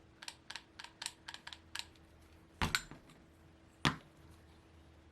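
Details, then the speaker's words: Moki 180 model engine with the thick head shim removed, turned slowly by hand: sparse, uneven light clicks with a faint hum. Owner wonders if the piston is touching; the sound stops with the shim refitted. Unconfirmed. "could it no it can't be touching why would it be making that sound"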